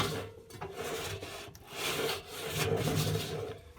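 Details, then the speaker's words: Indesit Innex washing machine, 7 years old, with the drum turned by hand: dry, uneven rumbling grind with lumpy catches each turn, like going over speed bumps; the drum bearings have completely failed. "it's it's like it's uh going over speed bumps you can't see that but i can feel it you can hear it can you i think i think that's awful it's just it's just awful"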